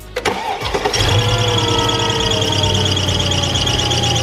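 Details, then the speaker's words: Mercedes E55 supercharged engine, following hard acceleration pulls: a loud, high, steady screech over the idle from the belt. "So we didn't know it was a belt. We just heard a loud noise. We didn't know what happened. We thought maybe something blew up or something because it was like a loud, like screechy noise."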